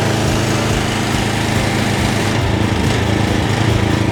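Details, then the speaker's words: JCB petrol pressure washer after restoration, water hose and gun connected, trigger held with nozzle removed because the unloader valve is uncertain. A loud, steady small-engine drone holds even speed with the pump working, no misses or knocks; now working, healthy running. "there we have it one working three jet wash to McLaren so I'm now going to give my car a clean come join me"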